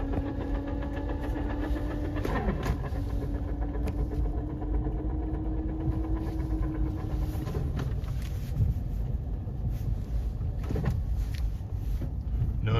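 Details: NV4500 manual transmission noise in 1st and 2nd gear: steady mid-pitched gear whine over drivetrain rumble, shifting and fading; removed unit shows excessive input shaft play from worn bearing, an input gear missing a tooth, and a wonky shift collar.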